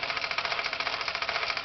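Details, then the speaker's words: Falk 450 overtype small steam engine, first run with feedwater pumping: quick regular chuffing about eight or nine a second, engine lagging down under pump load as water level drops; leaking joint seal suspected. "maybe we're getting some pump action now it does seem to be lagging down a bit"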